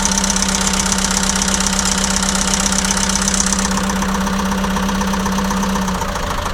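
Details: ~2006 JCB 180T compact track loader diesel idling with a lumpy, uneven beat about four per second; cracking one injector line changed nothing while the other three made it worse, so that cylinder gets fuel but isn't burning it.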